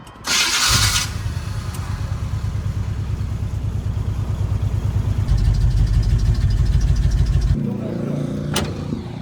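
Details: Square-body Chevy Blazer, off the road 20 years: steady rhythmic cranking about three turns a second, never catches; fuel pump not delivering fuel.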